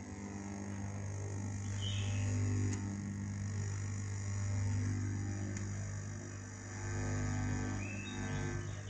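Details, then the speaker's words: Microphone amplifier with a USB module whose supply filter electrolytic capacitor was removed, mic volume turned up: a steady low buzz with a rough edge. Mains hum from the missing supply filter capacitor on the module feed. "it 's buzzing , friends, OK, let me try, I'll hook up so I'll hook up like this ."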